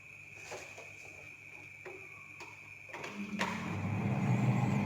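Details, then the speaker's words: Noisy, poorly cooling refrigerator after removing built-up ice that had been obstructing the fan: a few light clicks, then a soft, even fan and compressor hum with no scraping or knocking; evaporator fan now runs normally. "Nah, tidak lagi kan? Sudah tidak mengeluarkan bunyi lagi. Berarti ini menandakan kulkasnya sudah stabil ya, sudah stabil."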